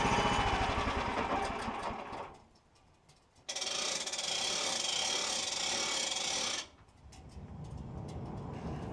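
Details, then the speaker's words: Woodland Mills sawmill cutting a large log; engine-driven band saw roars with rough shuddering chatter, head shaking in the cut; belt was tightened to stop it, owner blames a dull blade. "the throat on this Mill is only six inches so every now and then I have to stop and remove boards from the cant problem with shaking dull blade period"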